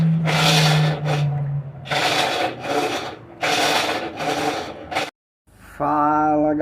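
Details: Colormaq washing machine making noise only during wash at water level 4: harsh rasping scrapes repeat with each agitator stroke, heard as agitator rubbing.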